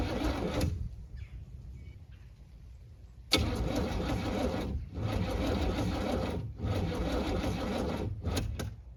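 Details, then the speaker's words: 1978 Camaro with a damaged Demon 625 carburettor and no choke, cold start at 16°F in snow: starter grinds in bursts with a couple of brief pops but never catches, even with ether; cold crank no-start. "so even with ether couldn't get anything going fired a couple times but wouldn't catch"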